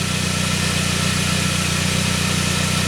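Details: 1999 Saab 9-3 after a crank-no-start, with a healthy signal now showing. Steady, even idle with a smooth low rumble and no misses or knocks; the engine is running cleanly.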